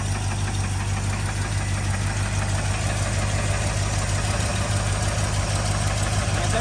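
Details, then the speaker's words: Ford Bronco V8 pulled from a front yard, fired up on fuel poured into the bowl, runs and idles better than the cars they drive: deep, steady burble, even low pulse, no knocks or misses; normal idle. "how is it valuable way seems to run and idle better than any of the cars we actually drive"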